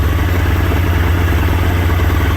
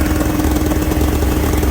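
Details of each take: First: Polaris Indy 680 Ultra snowmobile, nearly 700cc two-stroke with carburetor, restarted after a ride: steady, even low burble idle with no misses or surges; normal idle. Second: Polaris Indy 680 Ultra snowmobile two-stroke, cold start: steady, even idle that sits a little high at about 1800 rpm, but is manageable.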